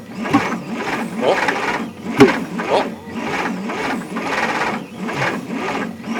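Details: 1960 Bombardier J5 not run in 20 years, key switch bypassed with power direct to coil, spark present, fuel in cylinders and intake: slow dragging cranking under two turns a second, never catches; owner suspects plug wires wrong, distributor timing off or rich mixture.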